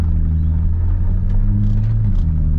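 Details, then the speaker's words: BMW E93 335i with DCT, donor car, transmission in drive: smooth low drone pulling away, pitch steps down cleanly at the shift with no slip or clunk; goes through the gears fine. Normal pull-away and upshift, gearbox healthy. "put the transmission into drive and we just make sure it goes through the gear pulls away fine"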